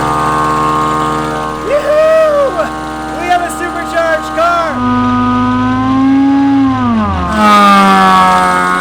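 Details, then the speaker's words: Mazda Miata drift car, first start after fitting a $300 Amazon supercharger with a custom bracket, belt tensioner and new coil pack: catches and revs cleanly, supercharger whine rising and falling with throttle over even firing. Running fine. "this pushes so much air this is crazy dude it works"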